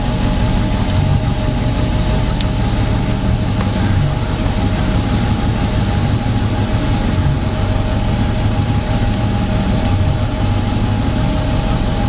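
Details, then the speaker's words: Super Air Nautique wakeboard boat with PCM inboard engine, new XT alternator test at idle: steady even idle with a low rumble and a faint constant hum, charging about 20 and dropping; smooth, healthy running. "okay we're at this started at 58 our an idle at 20 charging in nineteen and going down"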